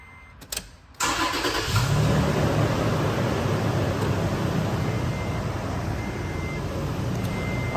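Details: Late-model Toyota Tacoma after refitting an exhaust clamp whose rusted bolt had pulled through: the engine catches at once and settles into a steady, even idle with no rattle, sounding healthy after the repair.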